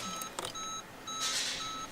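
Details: Ford Figo with a no-start and blinking theft light, after battery terminals were cleaned and refitted: steady high beeps, about three short bursts a second apart in a quiet cabin; normal chime at ignition on, theft light stops flashing.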